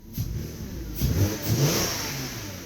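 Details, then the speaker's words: Porsche Cayenne, engine warmed up, throttle blip: engine rises sharply and falls back with an extra whooshing hollow note from the intake flap as it revs. "Anyway, and you'll hear that flap if you rev it, too."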